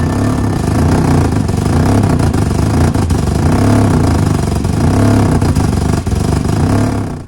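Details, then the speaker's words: 2004 Chevrolet Malibu Classic petrol engine heard at exhaust idling with lopey, uneven sputtering that stumbles and catches itself, spitting; misfire, suspected not running on cylinder 1 or 4, stalls with gas. "right, needless to say, Malibus shouldn't sound like that. It shouldn't be catching itself at idle and sputtering and spewing"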